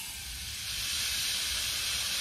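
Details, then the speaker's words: Flame King 1 lb propane tank being filled: a constant high airy hiss building slightly as gas vents from the bleed valve until liquid propane spits out at 80% capacity. Normal during filling. "and it's okay to hear that hissing because it's actually escaping because this little guy right here is um is leaking because i'm waiting to see that that liquid propane shoot out"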